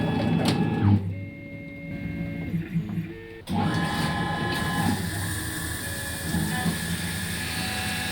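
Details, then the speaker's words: Langmuir MR-1 CNC, 3-flute carbide end mill with just over 40 mm length of cut, profile finishing a V-block at 300 mm feed: steady shrill screech over the spindle hum, the end mill chattering and vibrating intensely, leaving a poor finish. "That pleasure involves vibrating intensely when set to a feed rate of 300 mill"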